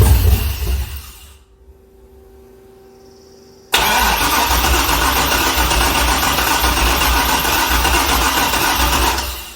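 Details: Chevrolet C6 Corvette with junkyard engine and Terminator X ECU, first start attempts: starter spins the engine steadily through long cranks but it never catches; crank no-start.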